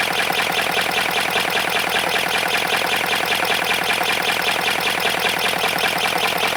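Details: 3D-printed ASA 412cc V8 engine, before oil was poured into the intake manifold: dry clattery rattle keeping pace with rotation; owner suspects it needs lubrication, not confirmed.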